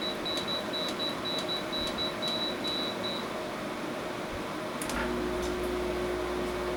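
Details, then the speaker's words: 5,000 BTU window air conditioner, about 10 feet away: control beeps as temperature is lowered, then the compressor kicks in with a low steady hum under the fan; normal, even running. "So that's as much noise as it makes when it's in operation. It's probably a little bit quieter than the other unit, but this is also a 3,000 BTU smaller, and it has a much smaller fan in it."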